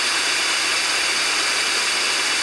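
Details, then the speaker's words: 10 V Zener diode without a tantalum decoupling capacitor across it, output amplified: steady static rushing hiss like a radio tuned between stations; Zener noise, fixed by fitting a capacitor (e.g. 68 µF) across it. "because Zener diodes are horribly noisy, and they need decoupling. They need a cap across them to get rid of that."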